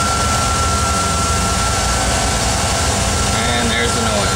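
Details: VW Vanagon 2.1 running: a thin, steady high-pitched hum above the engine rumble from behind the instrument cluster, appearing when the throttle is advanced; cause not yet found.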